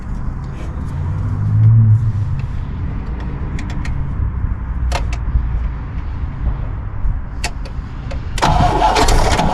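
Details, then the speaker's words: 1964 Pontiac Grand Prix 389 V8, unrun for years, after finding rusted rotor/cap and setting points: steady starter churn about four beats a second with weak half-catches that never pick up; cranks but won't start, points air gap suspected wrong. "i'm gonna say that's not good enough so uh it's definitely got to work let's pop it off and we'll uh adjust some air gap into it"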